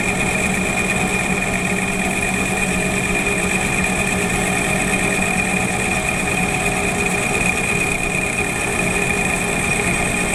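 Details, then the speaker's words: Lathe finishing cut at 550 rpm, 0.004 in (0.1 mm) per rev, 0.040 in (1 mm) on diameter, with a re-honed, lapped right-hand HSS tool bit; smooth steady hiss over even hum, no chatter; nice finish. "okay that's a pretty nice finish so that's a pretty nice finish"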